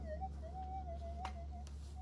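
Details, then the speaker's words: Minelab GPZ 7000 metal detector in a suburban backyard, comparing modified and standard units: faint wavering whistle drifting in pitch with crackles over a low hum, from heavy interference from power lines and domestic appliances. "anyway the noise is just too great I really should not be doing this in Suburbia"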